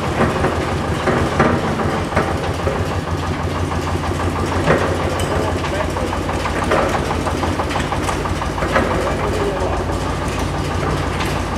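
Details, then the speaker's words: Single-cylinder engine on museum earth-moving machine: slow, even thump about three beats a second with heavy-flywheel feel, no knocks, responsive when revved; healthy idle. "quite responsive oh he's revving up brilliant yeah I must be a heavy flywheel in there somewhere"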